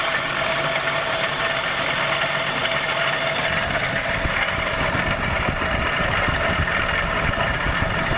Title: weird engine noise